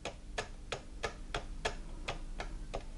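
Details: Chaika sewing machine from Podolsk Mechanical Plant (model 142) with sharp, light clacks about three a second. The connecting rod head has about 0.5 mm play on the shaft, causing the knock and skipped zigzag stitches.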